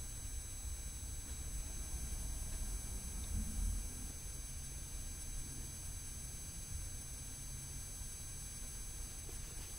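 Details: EL wire (neon light) inverter converting DC to high-voltage AC gives a thin, steady high-pitched whine of several stacked tones. With the series resistor the noise is nearly imperceptible; bypassing it raises brightness and noise.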